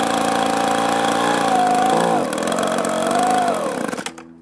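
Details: Echo two-stroke blower, four-month-old aftermarket carburetor, low-speed screw turned out a quarter turn: steady buzzing rev sags, wavers and dies within seconds; a debris particle near the needle valve was thought to be plugging a carburetor port.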